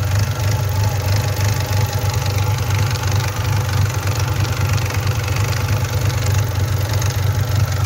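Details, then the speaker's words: Nissan Sentra SE-R with a check-engine code for the camshaft sensor, which was replaced without fixing it: deep heavy engine roar with a loose, uneven knocking rattle, heard only under hard acceleration; owner is checking the timing chain as the suspected cause. "Eso le pasa nada más cuando le acelero así mucho, o sea, cuando le piso mucho."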